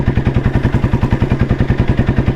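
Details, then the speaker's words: 1993 Royal Enfield Bullet C-engine with crank weight, pulling uphill at 30 km/h: deep, even single-cylinder thump about eight beats a second, steady under load, no knock or clatter. Healthy pull. "E നോക്കു കേട്ടോ പൊട്ടികറുന്ന ഈ കേറ്റം കേറുന്നത് 30 സ്പീഡിലാണ് കേറ്റം കേറുന്നത്"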